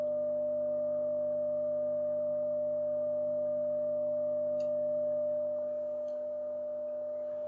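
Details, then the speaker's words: Telefunken Gavotte 55 tube radio after recapping: steady low hum with a strong pure tone, unchanged by bass and treble controls or rocking the tubes. "dancing away so something is picking up a lot of hum"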